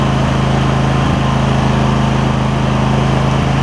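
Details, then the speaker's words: MTD Lawn Chief garden tractor V-twin, 46-inch deck, manual PTO, new voltage regulator fitted, after repair: steady fast idle, mostly even with an occasional faint pop; better, about 90–95% right, and no longer surging up and down. "So I got a little bit of pop, but better. I'd say it's probably between 90% and 95%. And it's not surging up and down like it was."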